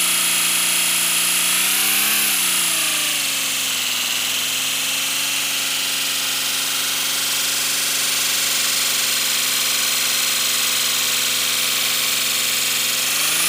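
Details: First-build 3D-printed PLA V12 model engine on compressed air, freshly lubricated, no exhaust port yet: fast, even buzzing chatter rising and dipping with air pressure, running smoothly with no knocks yet.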